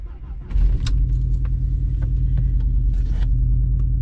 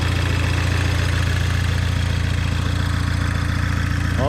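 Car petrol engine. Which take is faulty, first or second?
first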